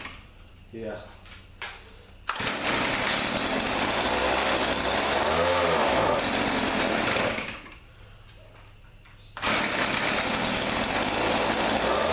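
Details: Thrift-store Weedeater PE550 edger, small two-stroke, after carburetor cleaning, air filter removed: high revs, steady raspy buzz, brief drop then straight back up; runs, but only on choke, carburetor leaking fuel, flooding.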